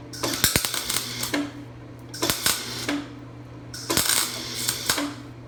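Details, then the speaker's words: Craftsman 196.205690 MIG welder: bursts of about a second and a half with a flat steady buzz instead of a bacon crackle; arc not hot enough, poor penetration, lots of blow-through. "it's not really any better you can probably hear it there's none of that bacon crackle it's just it's a more like a buzzing she's not getting hot enough penetration is poor"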